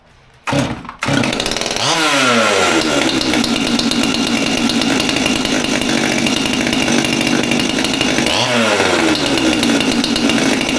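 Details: Stihl MS200T top-handle chainsaw after teardown and fuel line replacement, previously would not rev up: starts on first pull with choke, blips revs up and down twice, then holds steady high buzz without surging; healthy.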